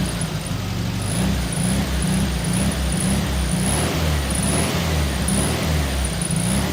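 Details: 1974 VW Beetle (Sunbug) air-cooled flat-four, first run after 30+ years in storage, fed from a small temporary tank: steady low idle with an even beat, no knocks or stumbles, holding speed cleanly; normal idle.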